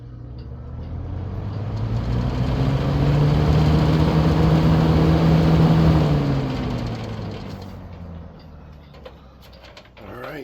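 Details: 1970s Galaxy 3713 Turbo Stream 20" box fan, 3-speed non-reversible motor, startup on low: smooth hum rising as it spins up, steady even tone, then coasting down; no rubbing or rattle, normal.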